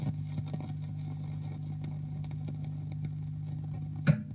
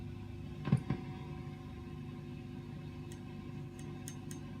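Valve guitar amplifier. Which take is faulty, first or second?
first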